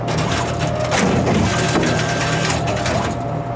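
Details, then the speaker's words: Royal GIII soda machine, Cherry Coke column test vend after replacing the jam-causing pivot lever spring: steady motor whir with a few clunks as cans drop through, no binding; the vend mechanism works properly. "Looks like it's working perfect again."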